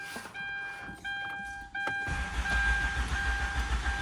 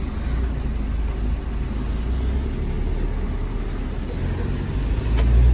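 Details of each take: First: Hyundai Santa Fe: starter cranks steadily but engine never fires; check engine light fails to appear at ignition-on, and without it the car won't start. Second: Hyundai Santa Fe diesel after no-start repair: restarts on first crank into a deep, even idle rumble with no misses or knocks, running healthy.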